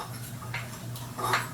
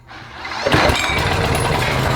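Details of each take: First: PowerBoss 5500 W generator, Briggs & Stratton 9.5 hp OHV, flywheel hand-turned after fitting ignition coil: slow rotation with short scraping rub at one spot; coil too close, catching flywheel, needs regapping. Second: PowerBoss 5500 W generator, Briggs & Stratton 9.5 hp OHV, rebuilt from parts, carburetor primed, plug cleaned and gapped 0.030 in: catches after brief crank, steady even low run, no misses or knocks; running normally until fuel runs out.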